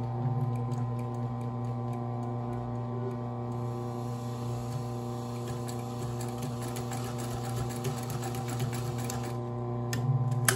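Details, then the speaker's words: Consew 110–115 V clutch motor on a sewing machine gives a steady low hum, spinning nonstop between stitches, with light ticking; loud constantly running clutch motor, to be replaced by a Consew servo motor. "if you can hear the machine it hasn't stopped then it keeps on going and it's loud which is why i'm gonna put a motor from console"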